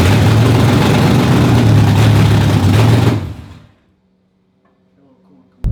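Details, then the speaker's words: Stroker Windsor V8 in a Fox Body, first start after install: heavy burble for about three seconds, then sags away to silence; won't hold an idle without throttle. "it still wants to be babysat a little bit on the frontal it doesn't really want to idle we got a little some few things to figure out"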